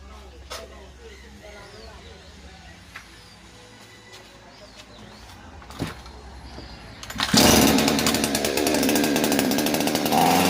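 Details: Svena 5200 chainsaw, previously would not start, after clearing flooding: fires at about seven seconds and settles into a steady, even buzzing run with no misfires.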